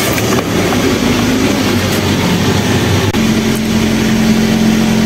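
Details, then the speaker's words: Cold start after reconnecting the battery and letting the ECU read the air sensor, in P, temperature not yet up; steady raised idle around 1500 rpm, expected to drop below 1000 as it warms; even hum, no misses; normal. "Nah, ini RPM-nya, kita perhatikan RPM-nya ya. Jadi dari tinggi dari 1500, nanti lama-lama dia akan turun di bawah 1000."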